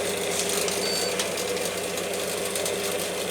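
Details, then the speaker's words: Washing machine showing error E9, run on spin only and not yet plumbed in: the motor whirs with a faint irregular crackle and fizz, the sparking of worn-down carbon brushes; the error is caused by the brushes or the board. "so brushes a worn down uh yeah it had A9 apparently which is caused by either brushes which you can hear you can hear how Sparky they are or a board"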